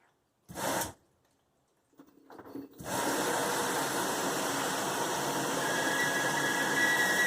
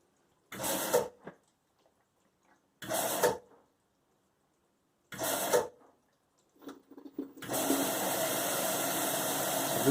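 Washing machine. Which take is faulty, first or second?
first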